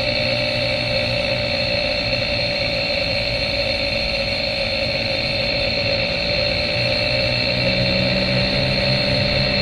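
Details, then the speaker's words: 2013 Chevy Cruze 1.4L turbo, Steelman chassis ear sensors at the front wheels, driving at 40 mph: constant low growl under the road noise, louder on the passenger side; bad front right wheel bearing, noise gone after replacement. "now you can start hearing it worth 40. [Music] now we're on that's on the driver's side same speed 40. passenger side you can hear a little better there"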